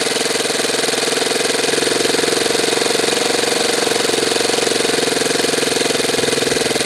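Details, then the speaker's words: Saito twin glow engine after low-speed needle adjustment, idling with the glow driver off: high, steady buzzing drone with constant pitch and even pulse, running cleanly. "how's that for an idle now I think we're doing pretty good"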